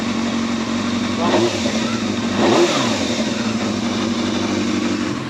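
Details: Yamaha Thundercat motorcycle after reassembly, running in a polytunnel before warm-up outside: even, steady idle with smooth rise and fall on throttle blips, no knocks or rattles; owner calls it responsive and lovely-sounding.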